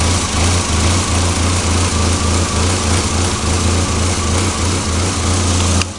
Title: ka24de 1991 240sx rough idle